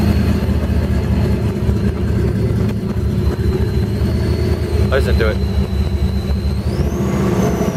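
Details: 1965 Mustang Fastback, supercharged, custom Trick Flow fuel injection: a steady idle with a clear high supercharger whine that climbs sharply when revved. Healthy running.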